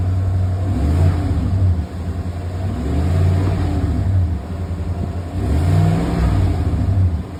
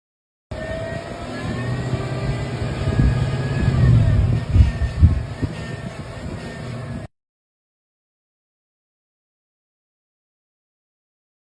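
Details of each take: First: 2020 Chevy Silverado LT 5.3 V8 after replacing the drive belt tensioner pulley and serpentine belt to cure an annoying whine: revving smoothly, deep low rumble rising and falling, no belt whine; normal running. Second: 2020 Chevy Silverado LT 5.3 V8 running with a clear whine rising and falling with revs from worn drive belt tensioner pulley; fixed by replacing the tensioner pulley and serpentine belt.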